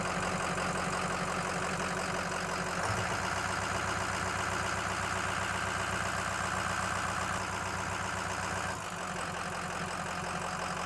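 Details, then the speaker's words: 2007 Ford F250 6.0L Power Stroke diesel, hot idle: rough, lumpy idle with felt vibration and speed shifts during testing; pending P0263 cylinder 1 injector contribution/balance fault returns. Owner suspects a bad injector, not confirmed; runs fine while driving. "rive and I can feel that vibration there is something wrong again I bet that code is back"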